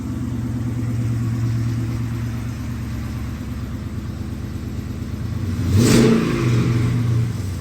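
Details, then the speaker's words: 2011 Dodge Charger R/T with replacement engine from a 2010 Charger R/T, long tube headers and 6.4 intake manifold, freshly started: deep, even V8 rumble then a crisp rev blip, no knocks or misses; drive belt failed shortly after. "so it definitely sounds good runs really good I haven't had it running very long but everything seems great"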